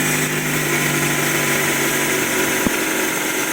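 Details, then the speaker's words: Honda CR-V 2004 K20 2.0 litre, fully cold first start after timing chain work for a knock: steady even idle, no body vibration, only a light valvetrain tick from worn cam lobes on rockers; engine runs much better. "так первый запуск сейчас делаем автомобиля так Ну отлично вы видите того столько нету уже однозначно моторчик работает гораздо лучше мотор полностью холодный сейчас всё отлично"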